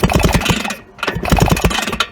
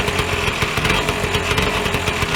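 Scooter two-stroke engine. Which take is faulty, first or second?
first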